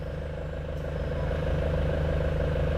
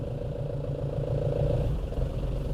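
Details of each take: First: Nissan Frontier before repair, idling while the clutch pedal is pressed past its free play: light, fairly even rattle about three times a second over the engine hum; customer complaint, suspected clutch disc or dual-mass flywheel. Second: Nissan Frontier after clutch replacement, road test pulling away: engine note rises evenly under light load with no judder, chatter or rattle; earlier pedal noise apparently gone, cause apparently the clutch disc, not the dual-mass flywheel.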